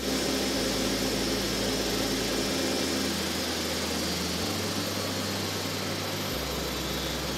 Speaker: this noise is due to the opening of the variable stator vanes also called vs vs and the closure of the variable bleed valves known as VB vs this noise is normal the engine is serviceable